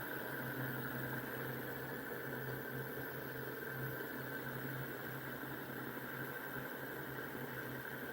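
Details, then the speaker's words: Homemade pulse motor, nine-magnet rotor with coil, reed switch and transistor, spinning fast: steady electric hum with smooth regular pulse, no scraping or knocking; running cleanly. "Woo! That's going pretty fast. Oh, that is so cool."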